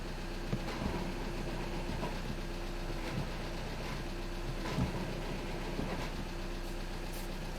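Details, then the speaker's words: 2013 VW Jetta TDI manual, idling in neutral with the clutch pedal operated: a rough, uneven grinding and scraping from under the hood beneath the diesel clatter, caused by a defective clutch throw-out (release) bearing. "okay so there is definitely a noise i hope the camera is picking that up guys it's a grinding noise i can hear it it's pretty loud yeah so the customer is complaining about that noise"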